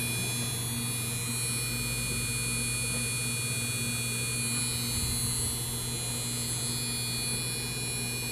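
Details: MSI GTX 1070 Gaming X 8G, four days old, in an i5-2500K PC with an Antec 650 W supply, buzzing while playing Dragon Age Inquisition on Ultra at 1080p (~60 fps): constant electrical buzz with a fixed high whine over steady fan hiss; cause unknown.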